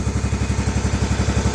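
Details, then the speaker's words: 1994 Cub Cadet 2135 Series 2000 riding mower after carburetor cleaning, running after 36 years sitting: crisp, evenly spaced firing with no misses or clatter, idling smoothly and healthy. "After 36 years. 36 years of this mower not running. And it's running."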